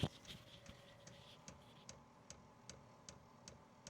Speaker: Hear that ticking. That's that pump bringing the fuel up, or excuse me, the diesel up, so that it can get it properly primed.